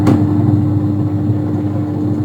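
An even motor hum with a steady mid-pitched tone, no knocking or scraping; the wash motor is running smoothly.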